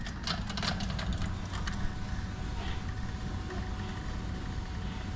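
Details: 1973 Chevy K5 Blazer with LS swap, new Painless wiring harness and Dakota Digital gauges just installed, relay now getting 12 volts; at key-on a steady low rushing hum holds with no stutter; fuel pump priming normally.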